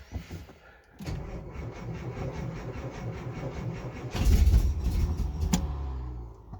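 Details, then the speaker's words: 1964 Austin Healey 3000 Mk 3, cold start after many weeks unused, weak battery: starter cranks several seconds with a few ragged firings that never catch; hard starting, flooding concern. "it's very close now that was a full rotation on on quite a few cylinders there and again immediately and every time that that fires we're building up warmth and compression didn't sound too healthy yeah nearly run there"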